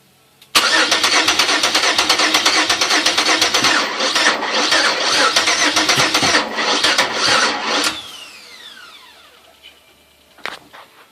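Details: Engine newly fitted with bigger injectors and other upgrades. Steady starter cranking at about three beats a second for seven seconds, but it never catches: cranks, no start.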